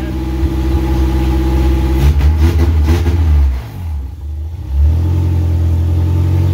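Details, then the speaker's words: Honda K24-swapped Toyota AE86 Corolla on its first start, run without coolant and missing about half its sensors: uneven, lumpy idle with a stumbling beat and irregular surges, missing and catching; heavy blow-by noted. Rough running. "that's pretty good with missing half of its sensors and realistically he's missing quite a bit"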